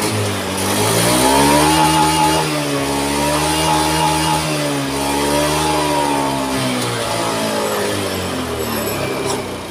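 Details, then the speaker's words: Honda Scoopy scooter that was hard to start, just fitted with a new battery: engine runs rough and surges, won't rev on throttle. The fuel pump tests weak and pressure doesn't rise to the expected 40. "Oke, kita tes. Lemah full pump-nya. Gak naik."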